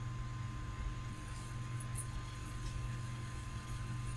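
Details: Old external USB hard drive, previously not spinning after a power surge. Steady low hum and faint fan whir, no clicking or grinding; the system boots and finds both drives. Normal hard drive spin.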